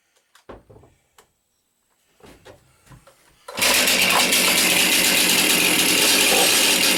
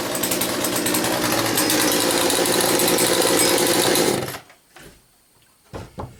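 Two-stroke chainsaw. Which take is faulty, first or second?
first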